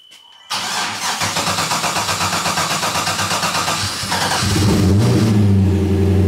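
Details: 1977 Camaro Z28 cold start after sitting a year: brief crank, catches quickly, rough even beat rising to a smooth fast idle without knocks; fuel pump works and oil pressure comes up, a healthy cold start.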